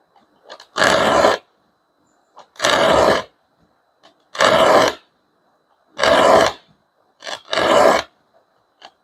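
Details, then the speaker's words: Filing a Gyokucho 340 dozuki rip saw: harsh grating rasp each stroke, about one per 1.5 s, because teeth set toward the filer are being sharpened; filing only teeth set away from you is quieter. "아, 내 몸 쪽으로 지금 돼 있는 걸 연마니까 방금 전에 이렇게 날카로운 소리가 나요.이 소리가 귀에 거슬리잖아요."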